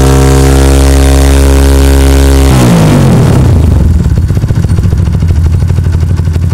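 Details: Kawasaki KLX single during a charging check, battery 13.1 V key off, no current leak found: holds a high steady rev, then falls smoothly back to an even idle with no knocks, rattles or misfires; regulator charging judged fine.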